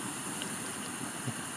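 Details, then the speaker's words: Mamod Quarry Loco, SM32 16mm live steam locomotive, gas burner warming the boiler water from cold with pressure gauge at zero. Soft steady roar and hiss with no pulsing or sputter; the burner is heating the boiler normally. "you should be able to hear the gas burner we're in a way as it's starting to warm up the water in the boiler"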